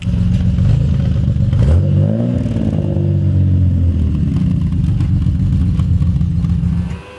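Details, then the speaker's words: Naturally aspirated Toyota Supra with six individual throttle bodies, with cold-start and running issues, on the dyno: engine sweeps up and down under load with a lumpy, uneven note, a couple of cylinders sounding out; throttle bodies unbalanced. "don't know what we've been doing sound a bit it sounds like there's a couple that are out i mean it has got two seven twos in it"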